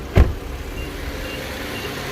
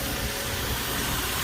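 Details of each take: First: Infiniti Q50 VQ37 with 156,000 miles, just after spark plug change, valve covers leaking: after a single bump, engine settles into quiet steady low idle with no stumble or hunting; runs fine. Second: Infiniti Q50 3.7 VQ37, 156,000 miles, after spark plug and coil pack change: steady airy hiss over the idle; vacuum leak.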